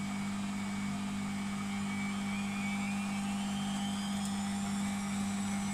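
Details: Beko WMP 601 W 6kg 1000 rpm A+ washing machine spinning up: steady hum with smooth rising whine, no grinding; the grinding heard during wash tumbling is absent when it spins.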